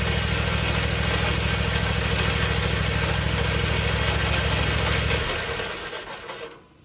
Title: Why is my engine making this noise? #viral #lawncare #trending #lawnlife #landscaping #lawnlove